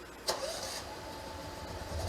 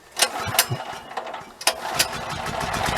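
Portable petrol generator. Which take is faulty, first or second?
first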